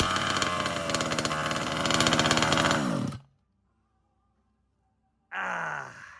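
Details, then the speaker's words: Two-stroke 36cc engine with a new piston and ring, new pipe and pull start, fitted to a 5T, first pull-start recorded very close: loud crisp buzz revving cleanly, good compression, then cutting off; normal running. "That's got some that sounds really nice. And just got some compressions."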